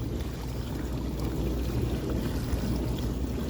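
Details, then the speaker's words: KitchenAid KDTE104DSS0 dishwasher after replacing upper rack tracks and main motor/diverter assembly (old diverter leaked), quick rinse leak test: even low rushing water and spray swish with steady motor drone, no grinding or rattling; sounds good, no leaks. "I'm running a quick rinse just to check for leaks. Everything sounds good."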